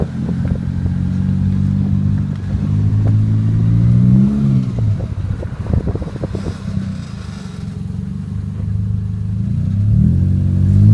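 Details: 1996 Toyota Celica, creaking grinding from driver-side wheel only when turning left, louder with sharper turns, some under hard braking, not in reverse; front pads and fluid replaced 30 miles earlier; cause unconfirmed.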